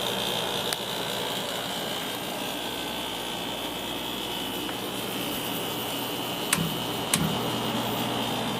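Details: 1994 air conditioner starting after a long time unused: steady airy roar with high whine and a few sharp ticks, loud at first and quieting down; owner attributes the noise to the long disuse.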